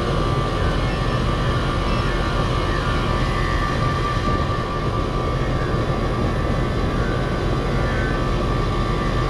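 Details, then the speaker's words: 4-ton R-410A microchannel AC unit on a no-cooling call, known refrigerant leak: loud steady rough roar from the outdoor unit with faint hum; compressor sounds horrible, cause unconfirmed. "It doesn't need much. My compressor sounds horrible."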